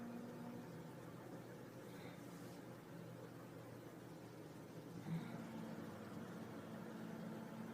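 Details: 2002 Honda CR-V cabin hum for months, absent at cold start, appears after a few minutes of driving around 800–1500 rpm at idle or running; runs fine, no check engine light. Low steady drone, source unclear.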